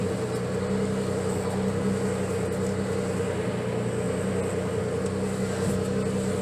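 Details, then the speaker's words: Nissan 300ZX after power steering pressure line replacement, belt retensioned and steering turned lock to lock to bleed air: steady, even engine hum with no chirp or squeal; power steering belt correctly tensioned. "I don't hear the belt squeaking either, so I got the tension just right."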